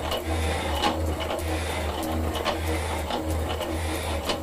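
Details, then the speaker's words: Metal shaper cutting a cast-iron block for a clapper head, back at second speed judged optimum: even, unhurried clack each stroke about every half second over steady motor hum; smooth cutting. "now I'm gonna switch it back to the second speed we had there which was pretty well optimum I believe"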